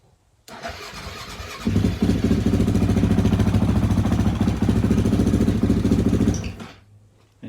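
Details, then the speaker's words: Husqvarna TE450 single-cylinder motorcycle right after fuel pump replacement, air filter reinstalled: catches within a second and settles into a firm, even thump about three a second, then shuts off; normal start and idle. "started up all right not too bad of a job"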